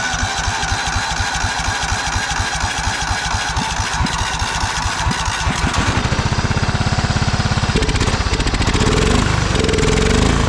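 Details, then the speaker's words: Old Cub Cadet riding mower, sat for years in a barn, restarted on jump after disliking throttle: steady even low thumping idle, then smoother busier drone as it drives off; engine running cleanly. "I'm over there we go now it's idling pretty nice"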